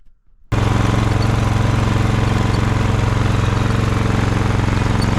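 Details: Ariens snowblower test run after friction disc replacement: small single-cylinder engine fires up and runs a steady, even beat about four per second, no surging; running properly.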